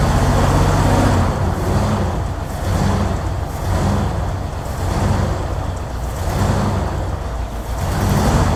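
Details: 1964 Ford Thunderbird V8 at idle, about 5.5 V at coil: idle swells and sags about once a second with uneven, lumpy beat; misfire suspected, possibly from bad vacuum leak at carburetor-to-intake spacer gasket, not confirmed; oil pressure a little low.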